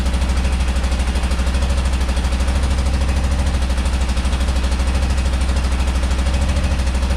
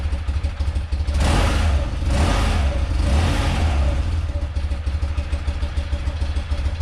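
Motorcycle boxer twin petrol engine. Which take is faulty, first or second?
first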